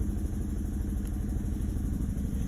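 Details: Chevrolet Malibu, code P0300, cylinders 2 and 3 misfiring, compression 180 psi passed, before coil pack replacement: low uneven stumbling idle with occasional dropped pulses; misfire fixed by replacing coil pack.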